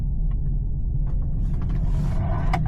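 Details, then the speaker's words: Porsche Cayenne while driving and turning: faint irregular clicks and a light rattle over heavy road rumble, sounding as if from the dash under the steering wheel but caused by a loose object in the hidden compartment under the seat. "you guys heard that coming from the dash cuz that's where it obviously sounds like just take a look under your seat"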